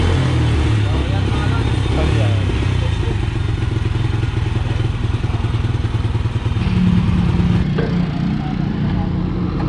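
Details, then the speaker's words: Honda Wave motorcycle that would not start despite fuel, spark and compression, after pouring gasoline into the spark plug hole and kick starting: small single-cylinder putters at a fast, slightly uneven idle; now starts easily and runs normally. "mga so Ayan mga boss ano umaandar na siya at madali na siyang paandarin"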